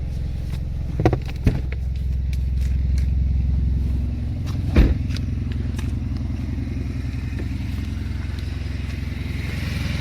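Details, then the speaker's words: Built 4-cylinder LTG turbo Camaro with forged pistons and rods, after its first drive: a steady, low, quiet idle. The earlier ticking, suspected injector or lifter chatter, is gone; lifters are thought to have needed oil pressure. "Well, it runs. Sounds all right. Sounds healthy."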